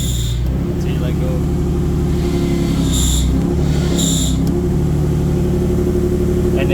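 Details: 2004 Nissan 350z 6-speed manual (CD002), car in the air, engine idling: heavy low rumble with short high squeaks chirping over it from a failing throwout bearing; inner ring broke, pushing on sleeve; clutch pedal sticks.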